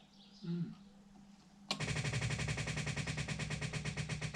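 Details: 1960 Daimler Dart SP250, dormant three years, on a jump starter: on ignition-on, before cranking, the electric fuel pump suddenly starts a rapid, steady, even ticking, priming normally.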